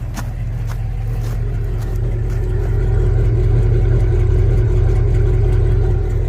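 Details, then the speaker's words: 1948 Ford F5 bus, abandoned 25+ years, on a new custom exhaust: steady, even low rumble, revs rising slightly and holding smooth, no knocks or rattles; healthy engine running very quietly. "Very nice, very nice. Hey guys, it sounds good. It's so quiet though."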